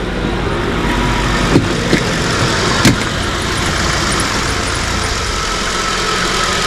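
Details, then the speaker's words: Mk2 Ford Mondeo, first start after revival with the fuel pump powered directly from a battery. A smooth, even idle with a soft steady hum and no misses or knocks. The engine, pump and ignition work, but the car still cuts power to the fuel pump. "that is as sweet as you like okay so the pump works the engine works the ignition system works everything works"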